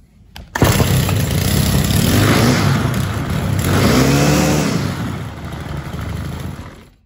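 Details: Stihl FS-90R weed trimmer after fuel line, tank connector and air filter replacement: single pull starts the small two-stroke, revs smoothly, holds an even buzzing run and settles without stumbling. Healthy normal start and run.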